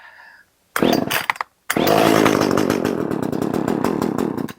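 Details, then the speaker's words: Echo CS 370 two-stroke chainsaw, old fuel drained, on choke to test for fuel starvation: cranks, catches briefly, buzzes unevenly and dies; confirmed too little fuel, low-speed jet being opened up. "let's give it some choke so that we can determine if we're just don't have enough enough fuel"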